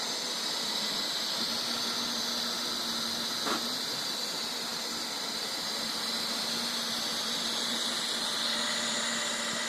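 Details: Neato robot vacuum running after return from repair; harsh hissing grind over steady low hum.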